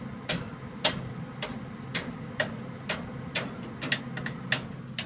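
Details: Home furnace: sharp, dry clicks about twice a second over a low hum, with shaking felt at a pipe or valve; the owner cannot tell whether it comes from the pipes or the valve, and the cause is unknown.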